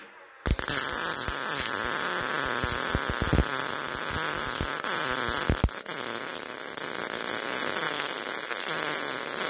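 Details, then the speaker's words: MIG welding thin auto body sheet metal, voltage raised to setting four: uneven, crackling arc with sharp irregular pops instead of a steady sizzle, narrow piled-up bead; voltage still too low for the wire speed. "Increasing the voltage really helped. But you can still hear popping. The arc sound is inconsistent. Wellbe is narrow and piling up. The voltage is still too low."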